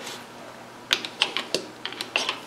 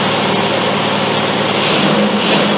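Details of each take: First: Triumph Spitfire HS2 SU carburettors with jets centred and glands fully tightened: several small, crisp metallic clicks over a quiet room as each lifted piston drops freely onto its seat, showing correct operation. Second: Triumph Spitfire with HS2 carbs after carb adjustment, started with starter fluid on a hot day: a fast idle rising and falling about once a second with occasional uneven beats. It is still idling high with a slight miss, though improved.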